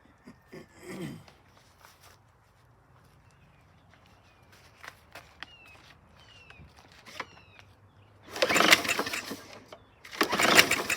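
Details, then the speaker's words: 2013 Murray self-propelled mower with a 625EX engine and automatic choke, water in the bowl and carburetor: two short rough firing bursts after pulls, each dying within a second amid birdsong; it won't keep running on water-contaminated fuel. "I'm trying to burn water and it's not working. Okay, you heard it fire off."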